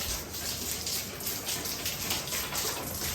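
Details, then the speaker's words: Basement water line turned on: steady hissing gush of water pouring freely from an open pipe end that is missing its garden valve, so it can't be shut off there; water leaking from the open pipe. "there's got to be another valve right there oh we're missing a a damn Garden valve right there that's why"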